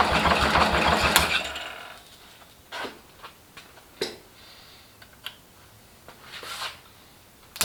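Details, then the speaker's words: First start of rebuilt International Harvester Cub Lo-boy C60 engine after oil pump priming, carb and timing not yet dialed in: brief crank, catches instantly, steady even beat with no knocks or misses; normal healthy start. "I was not expecting that to start that easily um that was that was the first start first turnover and it just lit right off"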